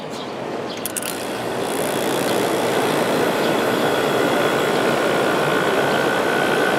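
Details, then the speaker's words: 1989 Fedders-made Climatrol 8,000 BTU window AC (Rotorex compressor, Samsung fan motor) starting compressor on low cool: steady rushing blow settling into a smooth even hum, quiet, already cooling. Normal running. "Quiet. There's low cool. Already starting to get a little cold."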